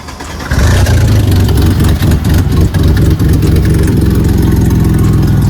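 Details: Mercedes C32 AMG supercharged, after fixing its shaking rough idle, with O2 sensors unplugged: loud, deep exhaust note settling into an even, steady idle with no stumble or shake. Normal idle.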